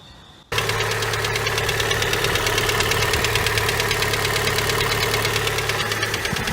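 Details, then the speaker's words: Honda Prelude engine (no hydraulic lifters in the head) at idle: a hard, uneven rap about three times a second that sounded like head noise. Teardown found a gouged, damaged piston; it was piston knock. "But basically, I was like, all right, this thing's definitely knocking because there's nothing in a Honda head, there's no like lifters, like a hydraulic lifter, there's nothing that could be ticking."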